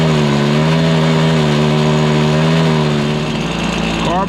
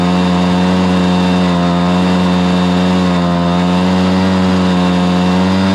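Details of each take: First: Stihl BR430 two-stroke backpack blower holds a strained, wavering tone at full throttle instead of climbing to clean high revs, bogging with no power; idle is fine; suspected fueling issue, carb high-side adjustment tried, spark arrestor checked and ruled out. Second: Stihl BR430 blower after the bogging fix: carburetor cleaned, then the high-side carb limiter adjusted. It holds a strong, steady high-rpm tone at full throttle with no bogging or surging, running properly.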